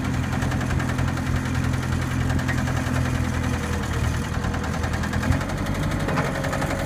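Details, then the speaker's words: New Holland 555E two-wheel-drive backhoe: steady low diesel idle with a faint uneven tapping on top; engine noise of unclear source, seller suggests it could be just an exhaust leak, runs fine. "it does have an engine noise it could be just an exhaust leak but it runs fine"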